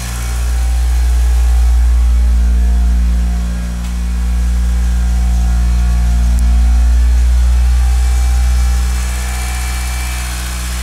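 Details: Mitsubishi Galant VR-4 first start after engine overhaul: smooth idle with gentle revs and no lifter tick, possibly cleared by six weeks soaking in diesel.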